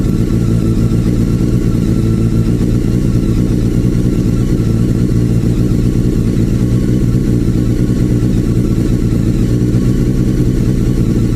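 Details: Honda CBR 954 RR four-cylinder after piston slap repair using 2003–2007 CBR 1000 RR pistons and rings; smooth, steady idle hum with no knocking or slapping, running normally.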